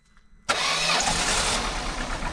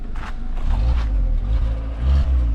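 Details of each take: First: Peugeot 307 1.6 16V barn find said to have a dead engine, first start: catches at half a second into a ragged, uneven run with smoke from burning oil; oil in the spark plug wells is causing the misfire. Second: Peugeot 307 1.6L 16V, barn find allegedly with dead engine: engine holds a steady even note with a couple of smooth throttle rises and falls, no knocking or missing; runs normally.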